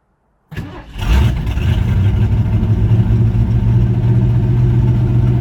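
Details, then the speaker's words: 1966 Mustang fitted with a Lincoln's running 351W V8, C4 transmission and ignition, first start on the carburetor's high-speed choke side: quick crank, catches straight away, strong even high idle with no misses or knocks; normal cold start. "and smooth alright ok so anyway you're on the high-speed choke side of the carburetor fire it up pretty good"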